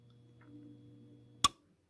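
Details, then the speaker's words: Hotpoint HHM5SM freezer compressor: low steady hum ending in sharp click as overload trips, repeating; bad start relay (old one refitted for demo; new relay fixes it) keeps compressor from starting. "so you hear it humming and that click and it'll do it again in a few seconds i'm not gonna wait it's probably gonna be 20 or 30 seconds but it'll it'll hum again and then click so from what i from what i know when it clicks like that it's it's not engaging"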